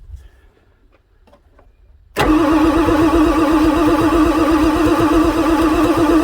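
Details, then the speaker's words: 1994 Ford F-450/F-350 Super Duty 7.3 diesel, pre-OBD2, fresh batteries fitted and high-pressure oil pump housing primed: strong even cranking about four pulses a second with steady starter whine, never catches; smoking and blow-by from air intake, engine seems tired; cranks, no start. "it's smoking foreign I think this thing is just so freaking tired you can see the blow-by coming out of the air induction system"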